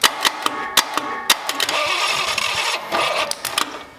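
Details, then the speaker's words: Abandoned Cadillac 331 V8: uneven cranking with scattered sharp pops and ragged catches that never settle into a run; misfiring, with the owner suspecting a poor starter ground through the cast exhaust manifold. "i think we need a better ground it's all pissed off because i don't have a real good ground"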